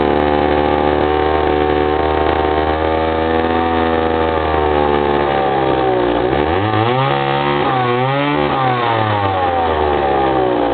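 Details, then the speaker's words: 95cc Remington SL 7 chainsaw, started after sitting for a few years: steady high buzz at speed, then drops and wavers as it settles to idle; starts easily and runs normally. "So you can hear how it idles down there, but it starts pretty easy for sitting for a few years, and it's a big one, 95cc."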